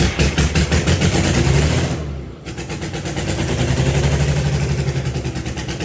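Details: Allis Chalmers HD20 crawler, GM 6-110 two-stroke diesel, after 15 years sitting, blower rebuilt, full-flow filters, worn exhaust manifold/muffler: heavy chugging about three beats a second, brief dip, then steady even running without misses; no longer blowing oil.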